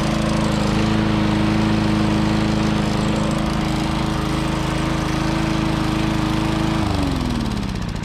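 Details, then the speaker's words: 1994 Lawn-Boy 10310 mower repowered with an old Tecumseh LV195 engine: steady single-cylinder drone with a faint regular tapping before it winds down; light knock from a tired engine that doesn't surge much. "Since it doesn't really surge a lot and it's just getting old and tired and you can hear a little knocking."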